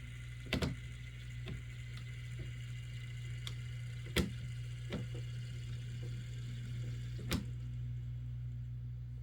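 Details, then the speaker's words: Life-Like Proto 2000 GP9 model locomotive, road number 7006, old DC unit, like new in box, first test run. Steady motor hum with sharp, irregular cracking and a slight jump at the rear; cracked axle gears need replacing. "I don't know if you can hear that cracking, but that is very indicative of we're going to need to replace some axle gears."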